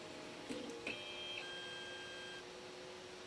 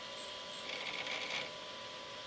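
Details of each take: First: Flying Bear P902 3D printer auto-homing after the stepper driver potentiometers were adjusted to cure skipping from thermal overload. It gives faint short whirring tones with no grinding or harsh buzz; steppers running quietly and normally. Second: Flying Bear P902 3D printer Y-axis stepper, driver potentiometer turned down too far: thin faint whir with a buzzy stutter; motor too weak, sometimes won't turn, skipping from too little driver current.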